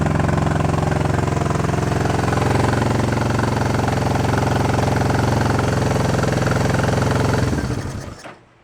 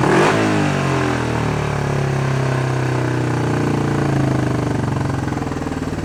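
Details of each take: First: Honda CB350 twin running on both cylinders after fixing no-spark side, chokes off: fast steady hard beat, no drop-off until shut down; carb idle adjustment screws found run in way too far and backed out; racing high idle. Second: Honda CB350 twin during carb work, with the idle adjustment screws backed out after being run in too far. A quick rev drops back to a steady, even idle with no misses or stumbles; running cleanly.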